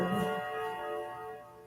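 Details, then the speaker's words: Clock named Aurora chiming 12:30 for the first time since February 2020 after repair: clear run of ringing bell tones fading evenly with clean decay; normal half-hour chime. "There's the 12:30, and that kicks off our hybrid day."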